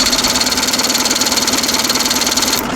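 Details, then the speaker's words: 55HP Chrysler Magnapower outboard on abandoned boat project, just put in neutral so it turns over: fast, even starter chug about three beats a second that never catches; cranks but won't start, smells of fuel, owner can't find spark. "It wants to so bad. It wants to go so bad. What do I need to do? It smells like gas now."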